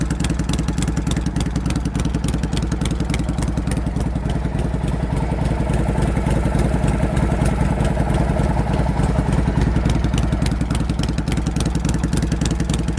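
Loud, lumpy V-twin beat at about three and a half pulses a second, raspy through open pipes but steady and even; healthy engine.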